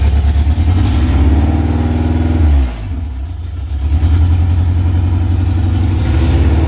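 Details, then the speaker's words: Honda K24-swapped AE86 Toyota Corolla, first start with no coolant and half its sensors missing, heavy blow-by noted; uneven lumpy idle with lazy stumbling rev and sagging dip, running rough. "that's pretty good with missing half of its sensors and realistically he's missing quite a bit"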